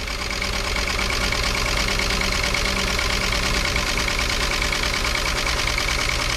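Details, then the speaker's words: 1964 Rambler American 440 wagon, 232 inline six, first run after 26 years off the road: even idle with a light fast tick that tracks idle speed, likely valvetrain, not confirmed; smokes a little. "holy crap runs like a sewing machine look at that thing runs like it was never taken off the road it does have a little bit of a tick to"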